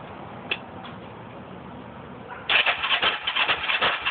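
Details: Engine with cleaned carbs and a new spark plug: quiet, then a rapid, uneven chug of cranking at about three per second for two seconds; it never fires or catches, no start.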